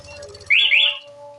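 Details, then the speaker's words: Honda Vario 150 LED first generation (2015–2018) scooter with plug-and-play motorcycle alarm: engine idles, alarm gives a sharp double chirp when the lock button is pressed, then the engine cuts out; anti-theft immobilizer working normally. "motornya mati ya itu artinya chianti malingnya udah fungsi"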